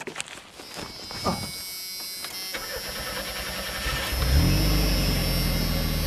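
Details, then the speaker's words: Abandoned Chevy S10 revived in a junkyard: several seconds of cranking, then it fires but stays at high revs instead of settling because the throttle hung open; cable, linkage or throttle-body spring suspected. "well that wasn't cool that part sound good yeah the throttle hung open"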